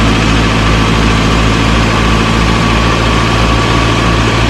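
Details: 1937 Morris 8, 918cc pre-war engine, first run on choke during recommissioning: steady, even low idle with smooth regular beat, no knocks or misses; about 75 psi oil pressure, slight smoke from oil around the valves burning off.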